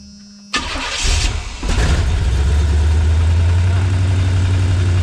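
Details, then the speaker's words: LT1 V8-swapped Jeep YJ after no-spark/no-charge repair, coil and intake reinstalled, no coolant in engine: a single short crank, it catches instantly and settles into a steady, even deep idle; normal start and idle. "One crank like it's nothing. Alright, it's late, so I'm not going to crank that too much. It's going to idle down."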